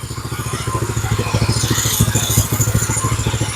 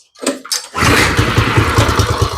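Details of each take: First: Go-kart small single-cylinder engine after raising idle screw: steady thumping at low idle about 160 beats a minute, slightly uneven but holding; normal idle. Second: Small go-kart engine, first start, no choke: a few cranking coughs, then catches into a slow, lumpy, uneven idle that sounds ready to die; idle speed set too low, later raised.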